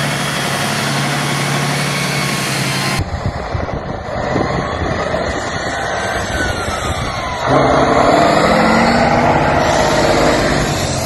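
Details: 1976 Tatra 813 V12 truck, restored after 20 years unused, exhaust sound: deep even note swelling as the throttle opens and rising cleanly in pitch; normal free revving.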